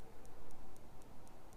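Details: Micro-Pulse ICES PEMF coil test: light, even clicks about four per second with no drop-outs, the audible sign that the coil is working; normal coil pulsing.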